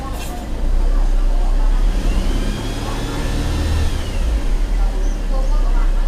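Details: Mercedes-Benz E250 CGI W212 M271 on cold start, all four ignition coils already replaced, pending codes P2301 P2304 P2307 P2310; after a crank-and-stall, engine idles roughly with a lumpy, wavering beat, cause unclear.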